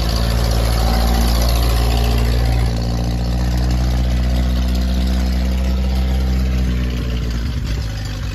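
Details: Ferguson T20 barn-find tractor out after 38 years standing, some small leaks remaining; steady low beat about four pulses a second, even and unbroken, no knocks; normal running.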